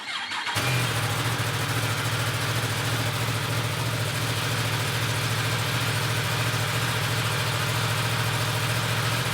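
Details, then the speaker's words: Yamaha R1 motorcycle during track day preparation, started right after an oil fill to circulate the oil: fires straight up and holds a smooth steady idle without misses or rattles, no drips, oil level mid-range afterward; healthy engine. "And let's go ahead and start it up, let it idle just for a second to get that oil circulating. Don't see any drips on the ground, so far so good."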